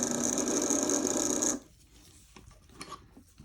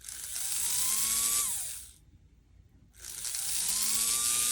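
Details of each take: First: Athearn Band-Drive F7 model locomotive motor tested on its own: high, buzzy whir with a rough, gritty edge for about 1.5 seconds, then cuts out; runs rough, cause unclear. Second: Athearn Band-Drive F7 model locomotive motor powered through the body in forward: spins up twice to a clean, steady high whine rising and falling smoothly, no grinding or ticking; runs nicely.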